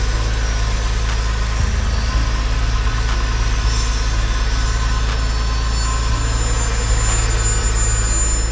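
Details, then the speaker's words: Porsche on first start, in neutral: deep, smooth, even idle holding steady without misses, slight clinking noted at start; normal idle. "This is my first start. I hear a little clinking or tinging sound, but this is my first start. This is it. This sounds awesome. This sounds fabulous."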